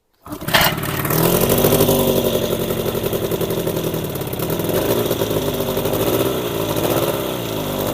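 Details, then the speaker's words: Old Evinrude 20hp two-stroke outboard after its spark plugs were cleaned and gapped: catches quickly and settles into a steady buzz with slight speed wander, seemingly running on both cylinders with some cooling water flowing. "I don't know if it's everywhere, but it runs better now. Sounds like it's running on 2, don't you guys think?"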